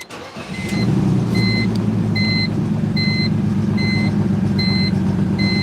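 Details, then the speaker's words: BMW E85 Z4 roadster: catches and settles to an uneven lumpy idle with a faint stumble and steady double beep chime; suspected misfire expected to clear, not confirmed. "Sounds like she got a little bit of a rough misfire for a second. Give it a second and it'll she'll clear up."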